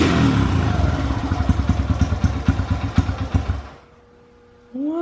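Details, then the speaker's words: Honda XR100 single, cold start after hours of carburetor cleaning and tuning; loose uneven thumps for a few seconds then it dies; starts right up when warm but not cold: hard cold starting. "here it starts right up when it's warm but as you guys saw earlier it just does not want to start when it's cold"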